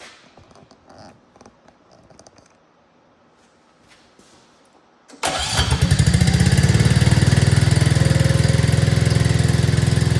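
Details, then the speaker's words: 2024 Arctic Cat ZR 200 snowmobile on a bucket: small engine starts and runs fast and steady, idling much higher with track spinning, because the throttle cable was overtightened while fixing dying at idle. "here and as you can see it's idling a lot higher and the track was actually spinning I've got it up on a a bucket there so we're going to have to loosen that up just a little bit"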